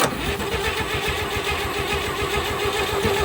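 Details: 1958 Chevy Apache truck engine after sitting for decades, with oil leaks being plugged: steady fast cranking with even starter pulses throughout, but the engine never catches and fires; no start.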